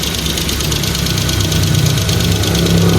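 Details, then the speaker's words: 2015 Kia Picanto that wouldn't start and had a blinking temperature light, at idle with slight revving: fast, light ticking over a rough idle, three to four a second; lack of maintenance suspected, not confirmed. "okay malagitik yung makina ni sir so kadalasan ah pagka mga kia talaga mga ano yan mga kadalasan yan ecu Pero kailangan ma-scan tapos malagatik ang makina."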